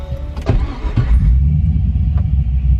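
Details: Datsun 280Z with LS/LSX V8 swap, restarted after cooling down from fuel smell and low fuel pressure; gauges show air-fuel ratio around 14, good volts, but low to no oil pressure reading. Deep steady V8 rumble, smooth even run, no knocks or misses.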